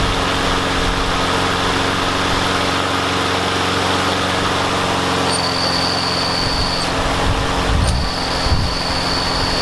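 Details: Yard Machines mower with a Briggs and Stratton engine that would not start; after priming, wire-brushing the spark plug and using carb cleaner, the single-cylinder runs at a steady buzzing speed with light background clatter: normal running restored.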